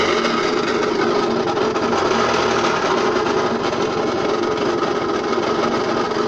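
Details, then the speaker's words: Puch Mini Maxi moped engine, previously seized, just refilled with proper gearbox oil: high buzzing run with a harsh, rattly mechanical edge that still sounds terrible; owner suspects the flywheel rubbing under the mag cover, or something higher up. "let's start a real quick and see if she sounds any better with some actual oil in there kicks up really well still sounds terrible"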